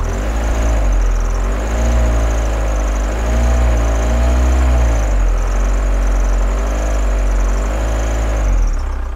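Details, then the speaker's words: 1987 VW Camper diesel, revived after long storage and leak repairs, idles with a lopey, stumbling misfire. A solenoid clicks (checked by stethoscope), no fault codes are stored, and the owner suspects the injectors, planning an overhaul. "yeah it's clicking away there so soon stop a little misfire in it have a listen to this"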